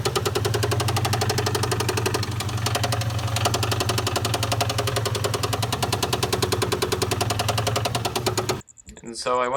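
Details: 1997 Mustang GT running with valve cover off to inspect valvetrain: fast, steady ticking knock keeping time with crank speed over smooth running; engine knock, source not yet found.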